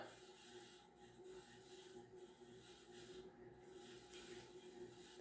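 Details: 52-inch Banvil Emperor ceiling fan on a variable speed knob, running only in reverse and wobbling slightly; a steady soft scraping rasp under a faint hum as it turns, from scratchy bearings.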